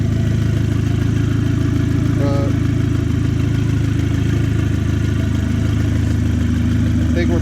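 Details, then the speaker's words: Audi A4 rebuilt 2.0T FSI with K04 turbo kit, first startup, still warming: steady even idle with faint injector tapping over a smooth low hum, no squeals, oil residue burning off; running healthy. "I mean, I hear the injectors tapping a little bit. It sounds pretty quiet, not too bad. Everything's running pretty good. No squeals, no nothing."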